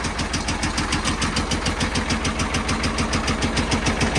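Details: Caterpillar 977L track loader, long-sitting scrap candidate, started on lots of ether: heavy, lumpy diesel thumping at about three and a half beats a second that sounds like it's coming apart, though oil pressure is good. It is running rough.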